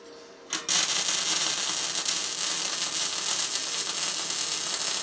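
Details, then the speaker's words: Tesla MIG 260 MIG welder, correctly set: steady, even fabric-tearing crackle from the strike with no pops or sputters; bead height depends on wire feed and torch travel speed. "ось такий звук такий тріск як ее ніби тріск матерії це значить що в нас правильно налаштований зварювальний апарат"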